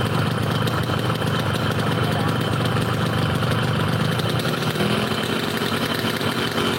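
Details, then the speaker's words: Yamaha RX King two-stroke motorcycle, brought in for stumbling at low RPM, idling hot after the workshop worked on it: a steady, crisp, even rasp with no stumbling or hunting. It now runs smoothly and idles stable. "Suaranya betel lah. Garing. Menang stabil lembek."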